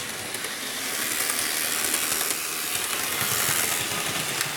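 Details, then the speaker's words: Athearn RTR C44-9W model locomotive after motor replacement, running on track: even high-pitched motor whirr with some gear hiss at constant speed, slightly noisy but running fine; normal running. "a bit noisy but it's all right let's just do one whole loop around the layout"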